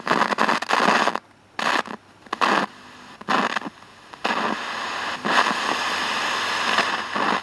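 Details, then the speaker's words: Late-1960s/early-70s AWA P1 11-inch valve black-and-white portable TV: sharp bursts of scratchy speaker static cut in and out as the volume control is moved. Owner suspects a bad valve in the audio stage. "that I believe that must be a um valve in a bad valve in the audio stage and the the crackling of the anod starting to gradually get duller you can't hear it as well well"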